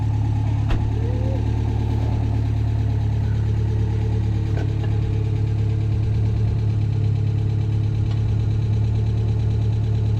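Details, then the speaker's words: Ford Sierra RS Cosworth, stolen and recovered, stored for years, first start after fuel pump work: steady even idle with deep low hum, slight over-revving, no clear knocks; sounds healthy after long storage. "it's actually nice to hear it running to be honest very nice to hear it"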